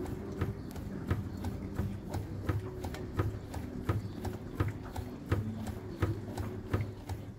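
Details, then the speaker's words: Fiat Toro 1.8 16V E.torQ Evo body rocked on a pit: sharp hollow clunks about once a second from play in worn stabilizer bar bushings; shocks and bump stops already replaced without curing it. "Então esse defeito aqui é exclusivamente as buchas da barra estabilizadora Olha lá pessoal a barra bem devagarzinho assim tá bom Ó olha a folga na bucha da Barbie pessoal"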